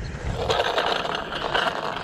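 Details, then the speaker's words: Losi 5T RC truck with 34cc Zenoah engine: gritty, uneven scraping grind pulsing through the drivetrain while running; owner suspects the transmission, cause unconfirmed, and a rear tire is leaning. "that got to be the transmission something wrong with that y'all something is wrong with that not sure what it is"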